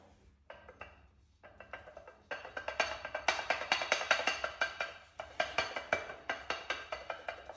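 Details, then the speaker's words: Audi SQ5 front 380mm brake rotor rocked by hand through the wheel: sharp metallic clacks in quick bursts from play between the rotor hat and hub flange held by one fixing screw, not control arms. "And that was a terrible rattle. You can hear it. I mean, it was just annoying in the car."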